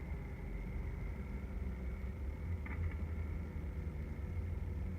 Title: 2006 Hyundai Sonata knocking/ticking sound. What is it?